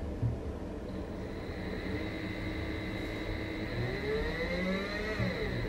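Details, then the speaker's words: Brushless 3-phase motor on a WS55-220 driver at 30 V, sensorless, speed set by potentiometer, direction reversed while running: steady whine drops in pitch, then climbs back smoothly, no grinding or stutter; the reversal works fine. "you probably can hear the noise even though I'm trying to run it fast it starts slowly so they have a nice algorithm let's try to change the direction with speed"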